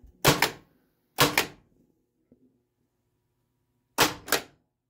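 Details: Pinball machine (Harlem Globetrotters) flippers after rewiring, tested with an Altec test board in game mode: crisp double clacks, each flip snapping up and back cleanly with a solid thunk and no buzz; flippers working properly.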